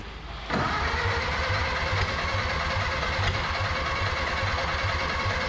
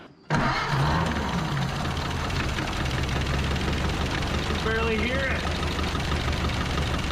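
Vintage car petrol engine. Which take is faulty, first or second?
first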